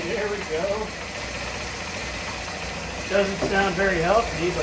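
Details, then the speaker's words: Old Honda Elite 80 scooter on the bench, no throttle cable: engine idles unevenly, beats stumbling and surging about three a second, barely keeping itself going; rough running, owner thinks it needs exhaust back pressure. "hey there"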